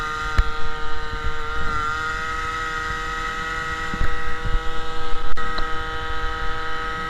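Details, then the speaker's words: MBK 51 moped, Malossi G2R 50cc, Dellorto PHBG 19 carburetor with Ø60 velocity stack replacing air filter, Giannelli Sport exhaust, riding: steady high buzzing two-stroke note with louder open intake roar from running without filter; mixture feels slightly lean. "Bon, rouler sans filtre, ça fait quoi? Alors, déjà, ça fait plus de bruit. On l'entend bien sur les vidéos."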